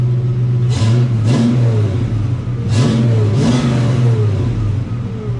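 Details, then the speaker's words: Project 4TO8 V8 with brand-new alternator and battery, steering rack leaking fluid: fires right up, clean throttle blips rise and fall smoothly with no knocks or rattles; the engine revs freely and sounds healthy. "It fires right up. I mean, it's just kind of starts up and does its thing. Let's see. All right. I've got the defrost on. Turn that off. But, hey guys, she sounds great."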